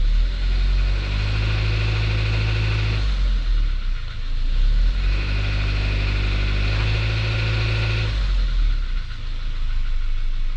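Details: 2021 Suzuki Jimny Sierra JB74, noise since about 15,000 km, continues when warm: engine note swells twice under load with a light rattly clatter on the low drone at low rpm; dealer later found the cause and cured it.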